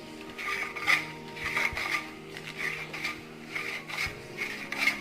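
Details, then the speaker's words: Copper bottle lid after oiling the rim (mustard oil) and rotating: soft, dry rubbing as the screw lid turns, smooth friction with no screech; oxidized copper friction reduced, lid closes smoothly again. "now you can see the bottle closes really fine. Okay, as you can see, it's smooth again."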